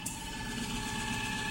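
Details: Mysterious noise behind a TV stand, loudest near the floor, continuing with everything unplugged: a quiet, steady whir at constant high pitch like a VHS rewinding. Vibration heard but not felt; source unidentified.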